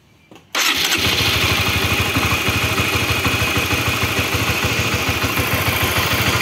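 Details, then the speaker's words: Honda CB-series motorcycle (CBX/CBR/New CB) started with a flat screwdriver-type key on the cam chain tensioner bolt, which turns by itself: loud, uneven rough clatter indicating a weakening cam chain tensioner. "Ini gua gantengin lagi perhatiin obengnya Oke berarti ini gejalanya si litter ac-nya udah mulai ee kurang bagus gitu ini untuk yang suaranya kasar"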